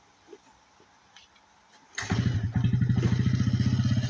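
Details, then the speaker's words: 1992 Suzuki King Quad 300 single-cylinder ATV, cold start on choke after plunger replaced (previously ran rich, would not idle): fires straight up, settles into an even, quick thump about four per second at high choke idle; healthy. "Nice high rev when the choke is on. This is exactly the way you want it to run when the choke's on, I guess."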